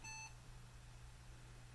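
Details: IBM ThinkPad 570 posting slowly, with its cooling fan not spinning: one short, clear high-pitched beep over a faint low hum; fan error beep at POST, and the fan was later blown out with compressed air.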